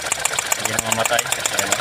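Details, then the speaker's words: 2021 Geely Coolray idling with coil on cylinder 3 unplugged: even idle ticking about eight times a second doesn't falter, showing cylinder 3 isn't firing; misfiring cylinder. "so namamatay ang ating makina sa number TH nawawala wala"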